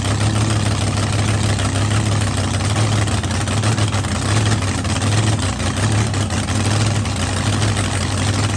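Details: Blown V8 running at first fire-up after a winter engine refresh, at night: deep, steady idle with an even beat, no ticks or knocks; runs smoothly, no leaks, only assembly lube melting off the hot head.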